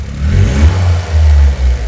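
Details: Toyota GR Yaris Rallye G16E-GTS after fitting Weldspeed cast aluminium intake plenum and Kelford cams: a few clean blips from idle rise and drop back smoothly with no hiss or misfire; no leaks, engine revs freely and sounds healthy.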